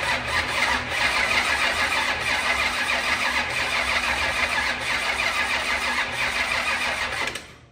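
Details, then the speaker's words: Rebuilt 25-year-old SBC 400 race engine: steady fast cranking, about three beats a second, that never catches despite fuel and fuel pressure; ignition timed 180 degrees out with the distributor wrong on the firing order. "okay she ain't doing nothing hm it turns over so there's that"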